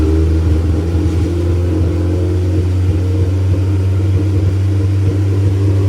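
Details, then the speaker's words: K-swapped Honda Civic race car, first crank since the K-series engine went in, on a jumper box: deep, uneven idle that stumbles and surges after it fires. Vacuum leak suspected, not confirmed; something else also reportedly failed. "That's a vacuum leak [snorts] that caused it. >> Hey, it fired."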